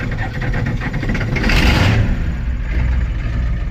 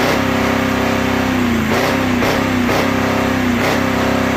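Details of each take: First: 1985 Ford F250 6.9 IDI diesel, manual, cold start with foot to floor; brief cranking then catches almost instantly with sharp bark, settling into rough heavy clatter and smoke; very fast start. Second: 1985 Ford F250 6.9 IDI naturally aspirated diesel, manual, in neutral: held at steady high governed speed then winds smoothly down; smoky, runs but truck won't move. Free rev to governed speed.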